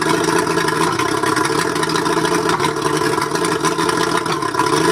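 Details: Mercury 135 outboard idling with an uneven, stumbling beat and irregular pulses instead of a smooth hum, a cylinder misfire; owner suspects the spark plugs, not confirmed.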